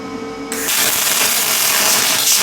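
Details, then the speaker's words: Lincoln 210MP MIG welder, around 340 in/min wire feed: arc strikes into constant crisp frying crackle instead of smooth spray hiss; runs nicely but still short-circuit transfer, no spray. "still no spray it's running really nice but it's not it's not a spray AR yeah no spray trf for still"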